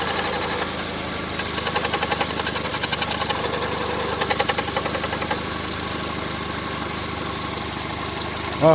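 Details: VW/Skoda 1.6 MPI (BSE) engine at cold idle: a quick, regular metallic ticking knock, loudest early and easing later; the owner believes he found the cause after removing a part, but the exact source is not stated.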